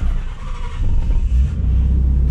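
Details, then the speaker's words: 1992 Nissan 300ZX twin turbo, first start in 16 years after installing new fuel injectors: low rumble catches and builds into a steady running note, sounding healthy, no check-engine light. "sounds pretty good sounds healthy fufu damn sounds real good everything seems pretty fine"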